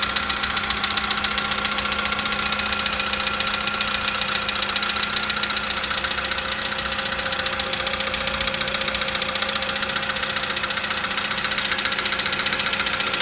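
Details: 2013 VW Polo Sedan Sochi Edition, 65,000 km, cold start: a sharp, regular ticking knock about 220 per minute over the cold idle; engine knock at cold idle, source not yet identified.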